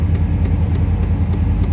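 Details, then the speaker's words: 1992 Chevy Silverado OBS small-block V8 at idle after first start, no knocks, good oil pressure, warming oil before draining the old dirty oil; deep even rumble with steady beat, no ticks, normal healthy idle. "it's got good oil pressure just going to let it run for a second second get the oil heated up"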